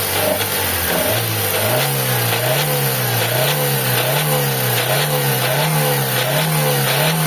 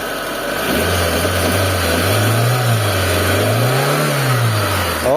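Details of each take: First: Mitsubishi Lancer 4G15 engine revved in bursts: pitch climbs and falls with a rough rasping, sawing knock inside the engine, quiet at idle; internal bottom-end damage needing overhaul. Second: Mitsubishi Lancer 4G15 after engine overhaul with new parts, before break-in: revs climb and drop smoothly with a clean even drone, former noise under the engine gone.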